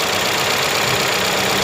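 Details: Toyota Corolla 5A 16-valve engine just after a full overhaul, idling with the oil filler cap open: steady, even idle with light valvetrain chatter through the filler and no knocks or misses. Normal idle.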